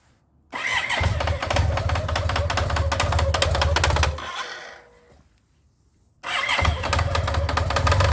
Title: BMW k75 RT. Metallic clicking noise at low RPM